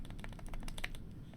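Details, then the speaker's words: New GMMK Pro keyboard with stock stabilizers, before swap to Durock V2: quick keystrokes with loose, hollow clatter on bigger keys; stabilizers rattling and binding. "in properly. That does not sound good at all."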